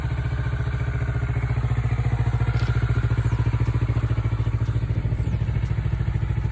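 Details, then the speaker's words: Kawasaki Ninja 400R 400cc twin, 2013-registered, started after three months unused with expired inspection, battery feared flat; steady even idle thumping with regular firing, no knocks, misses or rattles; normal idle. "初めから3月初めまで3ヶ月全くエンジンかけてなかったのにちゃんとかかりました。"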